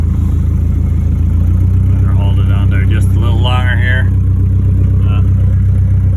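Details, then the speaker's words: 1982 Mercedes 240D W123 diesel, sat at least 3 years, first start: heavy smoky diesel clatter, lumpy uneven beat at slightly raised idle with throttle held, good oil pressure, loud exhaust; rough running, cause unclear. "oh we got a lot of smoke here but it's running he's running got oil pressure right here sounds a little rough I mean it's been quite a few years probably since this car has run but it's running"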